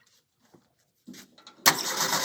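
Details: 1929 Ford Model A roadster pickup with a 1974 Pinto four-cylinder, about 39K miles, unrun for 10–12 years: quiet fiddling, then the engine catches sharply and settles into an even, steady run; a normal start.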